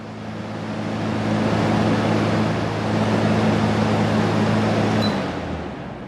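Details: New 120V window air conditioner bench-tested before installation in a garage, on a heavy-duty extension cord, checked for cold air: steady fan rush with a constant low compressor hum that cuts off cleanly; normal operation.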